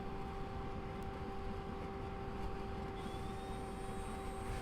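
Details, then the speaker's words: Fresair 12V rooftop air conditioner newly installed on a RAM Promaster 2500 van, first power-up from a car battery. The pump activates, pulling water up the tube to circulate, with a steady hum of two clean tones and no knocks. Normal running; cold air output. "we can hear the pump activating. The pump is now pulling water up into this tube and sending it through here where it's going to circulate, and you can already feel the air is nice."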